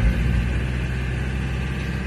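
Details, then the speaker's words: Camper van driving at modest speed in first gears after wheel bearings replaced: steady low engine drone, no metallic grinding or whirring from wheels; normal running. "bon bien sûr on a un bruit de moteur ça on va pas se le cacher il fait du bruit il y a pas de bruit de métal"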